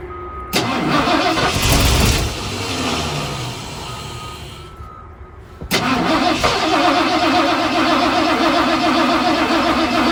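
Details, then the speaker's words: 1974 Ford F250 SuperCab with a 460, parked 14 years, fuel poured into the carburetor: cranks and catches, runs rough a few seconds, dies, restarts to a shaky idle; owner suspects too little fuel. "must not be enough gas for 460 come on old girl you want to run a little bit longer"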